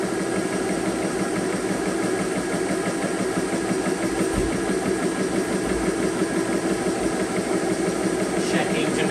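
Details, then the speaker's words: Compressor filling a magfed paintball marker's buttstock air tank, bleed valves shut, pressure building with no leaks: steady, even pulsing drone, no hiss or sputter, fairly quiet; normal compressor running. "So guys, it's actually fairly quiet. It's not that loud as you guys can hear in the video."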